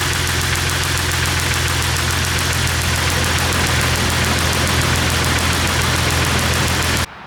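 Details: 1998 Jeep Wrangler 4.0L inline-six crank-no-start after stalling at a stoplight; steady fast starter churning about three and a half beats a second, no catch, then sudden stop; spark and injector signal always present.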